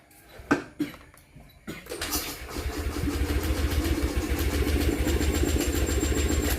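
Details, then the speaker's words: Honda Beat 2020 scooter with oil pushed up into the air filter, towed in: starter cranks at a steady three or four pulses a second but never fires; crank no start from damaged piston rings. "Nah, ini nggak mau hidup, lur. Rencana coba kita akalin dulu."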